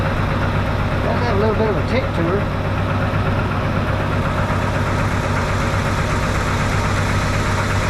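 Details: 1971 Chevy C10 V8 just brought back to running, idling: loose, irregular knocking under a quiet, steady rumble, about two or three per second; doesn't sound like a lifter or rod knock, source unknown.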